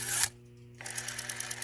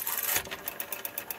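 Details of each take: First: Western Electric 5 rotary telephone dial: about a dozen light, even clicks in roughly a second as the dial returns; quiet, steady ratchet working as it should. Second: Western Electric 5 rotary telephone dial that seems never to have been serviced: rapid, even ticking at about eight clicks a second as the dial returns, harsh and gritty; a rough dial return.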